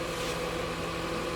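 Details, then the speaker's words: Whirlpool upright freezer after repair: a quiet, steady hum with a low mechanical drone and no rattling or scraping. A loose part had been rattling and sounded like compressor vibration; once refastened, it runs normally and much quieter. "it's 100 quieter like i said that's sitting there just rattling around on this thing that's all it took you know"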